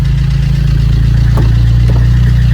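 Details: Vauxhall Corsa D 1.3 diesel after number 2 injector replacement and coding: steady low idle, even rumble, no stumble or misfire, no dashboard warning lights; running healthy.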